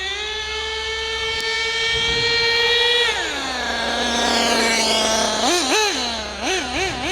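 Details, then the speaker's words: HPI Savage GT6 nitro RC car with F4.6 engine, still wearing in, owner fairly sure it's stuck in second gear: high buzzing note holds, drops and wavers in short blips without reaching full revs; cause not confirmed. "Don't know if we're going to get much more revs out of it."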